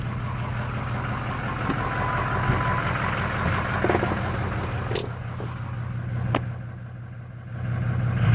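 Low steady idle with an uneven, lumpy beat underneath and a couple of sharp clicks; rough running, possibly a misfire, cause unconfirmed.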